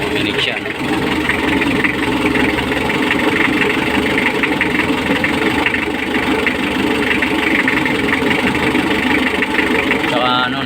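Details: Mitsubishi L300 diesel that wouldn't start on the key, now running with heavy smoke: hard, rapid clatter over a rough idle, louder than normal; injection timing previously adjusted, pump to be retarded slightly.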